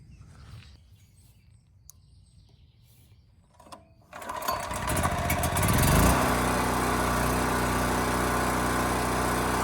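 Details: Champion 3000-running-watt 120V generator model 40026 after carburetor cleaning (rusted tank, old fuel), restarted to read hour meter (87 hours); fires at once, revs climb smoothly to a steady hum; earlier held 60 Hz at 1500 W half load, normal running.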